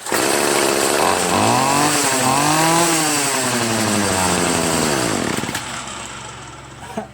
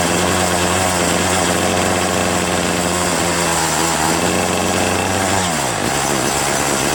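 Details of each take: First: Free Troy-Bilt TB70SS 33cc two-stroke weed trimmer, unused 3 years, on a cold 37°F day, after high/low carburetor mixture screw adjustment cured bogging at high throttle: revs up and falls back smoothly, clean steady pitch, no bogging. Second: Troy-Bilt TB70SS 33cc two-stroke trimmer, unused three years, started on fresh gas-oil mix: high buzz holds then sags and drops in pitch at full throttle instead of climbing; bogging from carburettor high/low mixture needing adjustment.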